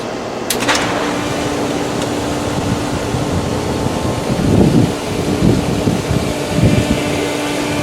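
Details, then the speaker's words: Polaris pool booster pump at startup, with air in the line from the emptied solar heater: a steady drone and hum, then gurgling, rattling surges. The pump cavitates until it catches prime. "let's go and turn it on and see how much air is in the line"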